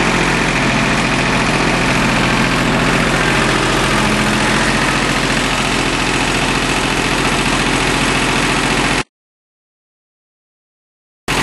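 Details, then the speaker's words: Small three-cylinder Yanmar diesel after bleeding air from the fuel filter and injector lines: steady, even idle with firing beat about 214 a minute, no misses or knocks; normal. "now that's what I like to hear all right wasn't too bad"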